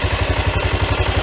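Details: 1993 Yamaha Riva 125 scooter, first start after replacing a bad carburetor with a cheap GY6-type carb, throttle cable not yet attached: the small single cylinder thumps along at an even, quick idle with no misses; running cleanly.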